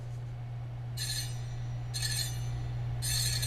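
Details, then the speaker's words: Magnum Navigator electric bike, wheel spun out of the box: a bright metallic scrape about once a second over a steady hum. The disc brake caliper is rubbing the rotor. Fix: loosen the two 5mm caliper bolts on the fork, center it, retighten. "you spin the wheel and you hear a noise that can only be described as metallic, there's a chance, very slim chance, that the caliper will not be adjusted correctly on the rotor."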